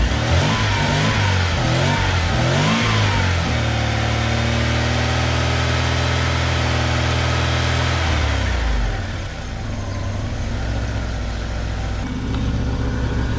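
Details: BMW E36 Compact with M43 engine, with a new AliExpress idle control valve and rubber gasket replacing the stuck, corroded original (which idled at about 1200 rpm). It fires, flares briefly, then settles to a steady idle of about 800 rpm.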